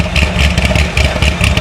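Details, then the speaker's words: C6 Corvette Z06 with 441 LSX, just restarted after a heads and cam install on stock exhaust, possibly still in open loop: choppy lumpy idle pulsing about five times a second, deep burble, no knocks; healthy idle. "yeah that sounds good it sounds good for a stock"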